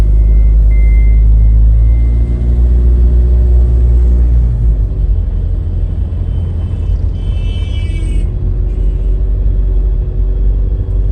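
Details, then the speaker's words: Tata diesel SUV, 83,000 km, before injector cleaning and oil change, driving: loud coarse low rumble and clatter rising with throttle; very noisy engine, worn, possibly starting to consume oil. "Engine से बहुत शोर आ रहा है। Engine से आवाज आ रही है और शायद यह तेल भी खाने लगा है।"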